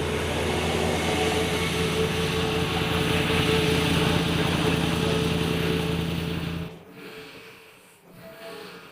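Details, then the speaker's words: Mercedes E500 V8 with 250,000 miles after reinstalling injectors and clearing cylinder 1 fault codes: steady even idle, smooth low rumble, no stumble; ran badly before clearing, now no fault codes. "After restarting earlier, it ran badly. But after erasing everything and restarting, it seems okay."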